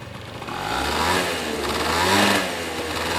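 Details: Honda Dio (AF18) two-stroke scooter brought in as a runner: revs up and down with an uneven, rattly clatter over the buzz. Abnormal noise from the engine, possibly also the drivetrain; cause unclear.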